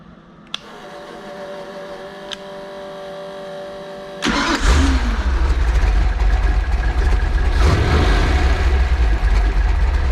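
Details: Freshly built 408 stroker small-block Ford Windsor, on break-in oil, already warm: cranks and catches quickly, then settles into an even, deep idle with no misses or knocks; healthy fresh V8.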